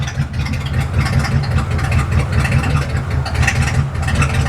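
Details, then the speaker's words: Slammed Galaxie idling. A lumpy V8 idle with a random stumble breaking the beat every so often: an intermittent miss; the carburetor is suspected. "So, you hear the like intermittent running leg. It has a distinct like every other I don't even know how to describe it. It's the most random intermittent miss I've ever heard in my life."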